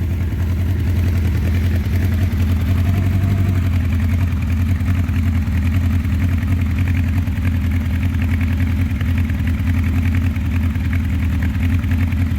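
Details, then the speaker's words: 1984 Honda CB700SC Nighthawk, recently back from another shop after major work and a severe oil leak, won't run without choke; at half choke it has an uneven, lumpy, loping idle, only a couple of cylinders firing. Misfire, cause not yet diagnosed. "sounds like a couple cylinders are firing"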